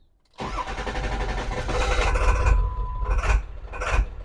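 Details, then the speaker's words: 2002 Ford F250 7.3 Powerstroke diesel with a rough idle, started after glow plugs. Cranks then catches raggedly, revs surging and sagging, blowing black smoke. Owner suspects a fuel delivery issue; code P1316 (injector driver module) is found. "is not normal that's got to be a fuel delivery issue I think that's what that is"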